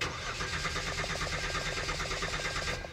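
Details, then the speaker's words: 2013 Hyundai Santa Fe V6 (3.5 L) crank-no-start while checking power at the pump: steady, even starter chug that never catches. Good power and ground reach the pump but no current through its motor; bad fuel pump. "This is a good power, a good ground, getting to the pump, should be going through the motor and back out to the blue wire, but it's not. So this is definitely a bad pump."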